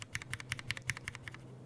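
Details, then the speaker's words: Mechanical keyboard switch during laser-printer (fuser film sleeve) grease lube test: quick run of crisp key clicks with a gritty, sandy edge on the travel; scratchiness still audible. Scratchy keyboard switch. "terms of scratchiness the only one that doesn't feel scratchy at always t1 but even g0 is a little bit scratchy that's it c4 again yeah I can't I can hear the scratchiness"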